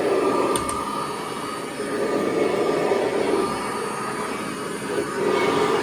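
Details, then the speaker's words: 1982 Kirby Heritage 1 upright vacuum bought secondhand: steady motor whir with a faint rhythmic flutter about four beats a second over a constant hum; runs well but the drive belt sounds worn, suspected, needs replacing. "actually runs quite well. So I am going to have to replace that belt though it sounds like."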